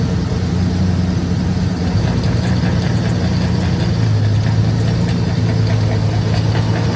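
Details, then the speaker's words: 2001 Toyota Tundra V6, manual transmission, running in gear: steady low drone with a rough droning beat. The driveline is visibly vibrating and damaged in the middle, and the driveshaft suspected; the part toward the differential is not turning. "Se ha dañado de ahí de medio. Se ve cómo vibra. Ese es el problema."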